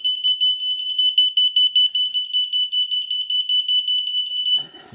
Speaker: But you'll see just like that sound. um that beeping sound uh sets off the alarms. But um you know, even if there's no no vibration.